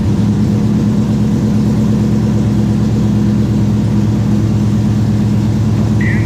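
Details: Chevrolet Silverado 5.3 with Texas Speed stage 3 cam and PRC stage 2.5 heads, just reassembled after fixing cam timing; check engine light from unplugged MAF, idle slightly high. Steady lumpy V8 idle, smooth; sounds good but may need retune.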